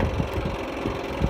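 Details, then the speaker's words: Tip tank fuel pumps on N3318Q running before engine start, with a Powerall jump starter hooked up because of a dead battery; steady whir with soft low pulses about every half second, normal fuel pump running. "tip tanks are running."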